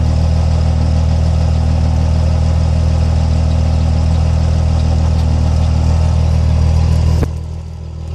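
Heavy diesel idling with an irregular lope and shake in the rhythm until it shuts off near the end; rough running at idle.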